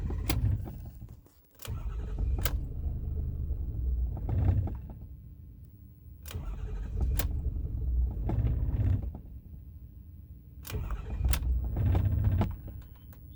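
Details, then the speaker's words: 2008 Ford F450 6.4 Power Stroke diesel, intermittent crank-no-start and no throttle response, worse cold but also hot, fuel filters replaced: low rumble surging and sagging between clicks and ticks, semi-running, then cranking without starting. "now it's gonna quit it'll run like this just sort of it's semi-running"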